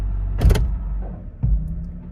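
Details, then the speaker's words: 2003 Honda CR-V shifting into drive at a stop, before mount replacement: two heavy thuds about a second apart over a quiet idle. The engine is rocking on worn engine mounts. "You guys hear that? So it's a lot of clunking and you can feel a lot of engine movement."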